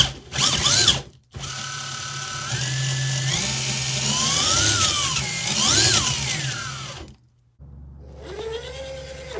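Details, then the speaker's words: Superlite RC crawler on original gear drive, baseline loudness test before belt drive swap: high gear whine rising and falling with motor speed, steady meshing buzz between pauses; normal gear drive noise. "and then we'll take it outside and see what it's got with the gears let's get a baseline for just how loud it is"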